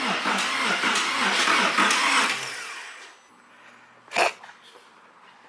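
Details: Porsche 911 first start attempt after refitting fuel pump, about a gallon of fuel, brake fluid and PSM warnings: quick even whirring crank about four beats a second, no firing, spins freely like no compression.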